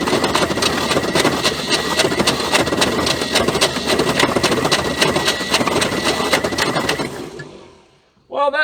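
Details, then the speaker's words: 1976 Ford F150 abandoned 30+ years, cranked by jumping battery hot to starter: uneven, lurching cranking with irregular hard thumps, binding; owner unsure if starter or a rod or main bearing, cause unconfirmed. "sound real good um the motor sort of bouncing up and down sometimes I don't know if it's a starter or uh I don't know maybe a rod Baron or a main I ain't got a clue it's definitely got some hard spots"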